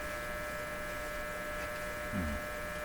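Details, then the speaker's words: Dominion Electrohome TR50 console receiver, not working on AM or FM, on the AM band with the volume up. Only a steady low electrical hum comes through and tuning changes nothing; hum with no AM reception. "We're on the AM radio. Let's turn the volume up here. Okay, so we hear something. Let's tune. No difference. Nothing happening there."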